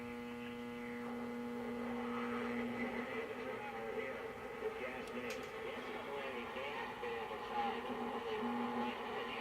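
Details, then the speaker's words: 1924 Crosley 52 regenerative receiver on a mocked-up B+ supply (45 V, 22 V) driving a Crosley Dynacone Type F field-coil speaker. Constant low raspy buzzing hum under faint station audio. Reception noisy; owner suspects nearby fluorescent lights; touchy regen. "So it's a little noisy. I got the fluorescent lights going on down here, and that probably doesn't help."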